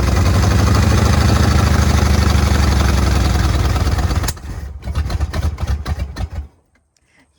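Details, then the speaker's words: Bullnose Ford F-150 V8, flood-damaged, water in engine 14 years, running cold and not yet warm: runs rough with irregular popping over steady beat until it cuts out; owner suspects some valves not seating yet. "but what about the popping it's uh some valves aren't seating exactly right yet but I'm trying to warm it up and it's not very warm yet"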